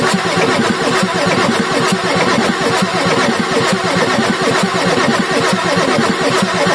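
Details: Ford F350 6.9L IDI diesel after injection pump replacement: steady, even starter churn of about one beat per second with no firing, long crank purging air through the injector lines; starter then rested to cool.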